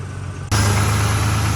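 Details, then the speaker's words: Rover SD1 2600S brought back to running after 15 years, once its sticking fuel pump was freed by hitting it with a hammer. The engine catches and settles into a smooth, even idle with a steady low rumble and no knocks or misses; it sounds healthy. "like a dream now [Music] there we are we're running all right that sounds pretty good"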